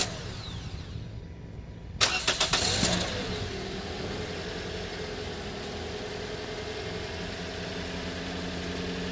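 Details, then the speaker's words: 2014 Toyota Corolla LE 4-cylinder, first start right after fitting a new battery: a second or so of uneven cranking chugs before it catches and settles to a smooth idle. Delayed start; the ECU needs time to power up after a battery change. "So as we saw there, the car didn't fire up right away. One of the main reasons is because after you change out your battery, you shouldn't just go right into starting the car like I just did."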